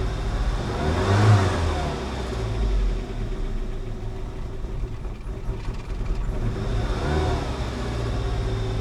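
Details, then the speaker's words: 1988 Saab 900 Turbo after long sitting, starter wired to ignition switch: engine surges then stumbles and won't climb revs when throttle nearly floored; owner suspects cheap fuel pump or fuel injectors. "it stumbles though when I try to give her gas is it our super cheap fuel pump that's that's almost floored and it's not going anywhere"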